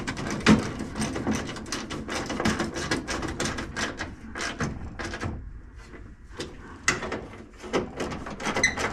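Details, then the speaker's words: Hand-crank window regulator after caked-up old grease was cleaned off the crank and track: quick, even swishing strokes with no binding, catching or grinding; regulator now moves freely, far better than before cleaning. "oh yeah that's rolling a lot better than what it was guys just me cleaning yeah yeah it would not roll like that before guys"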